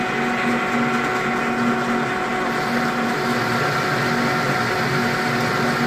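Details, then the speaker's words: Lathe making machinist jacks, turned without a center rest, last 0.100 in cut: loud, steady ringing chatter over the cutting noise. "but this is the last cut at 100 thousandths and then um then after that i'm going to do a 50 000 cut and then see where i'm at after that"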